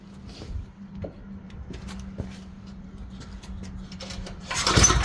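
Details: Tecumseh generator bought as non-running, running with the brown wire disconnected; oil was later found to need topping up. Steady, even hum with no surging or stalling and some handling clatter; running normally.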